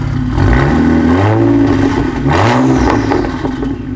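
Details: BMW E90 335i turbo engine at a sound test after swapping to a cheaper aftermarket exhaust. Revs rise and fall under loud turbo whoosh, with an uneven stumble in the exhaust note that can also be felt in the car; engine misfiring.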